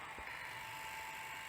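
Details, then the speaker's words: Sony SL700ME multi-format Betamax VCR (711B3-type deck), long unused, during playback: constant thin whine under hissy rushing wash; badly worn, noisy head drum bearings. "so so noisy so I mean it's great it's really really good um this is a shame those bearings are so bad"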